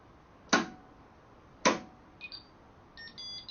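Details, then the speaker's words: Freedor acoustic door closer just installed, batteries connected and side button held: two sharp clicks, short beeps and rising tones as it runs start-up self-tests and switches between magnets; normal. "hold that down and it's going to go through its start-up sequence you hear it beeping okay and the second you'll hear a switch between magnets"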